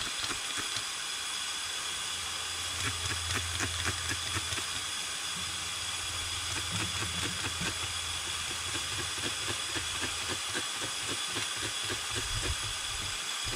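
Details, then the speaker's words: 1992 Dodge W250 with 12-valve Cummins and H1C turbo, boost leak tester at about 15 psi: a steady airy hiss with light clicks from behind the grille, pointing to a leaking intercooler. "the reason i did this was because i could actually hear a pretty significant leak coming from back here"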